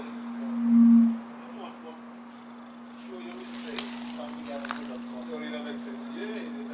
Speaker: that's where it's coming from and it gets really loud at times and it's and it's like just it grates on your nerves it really does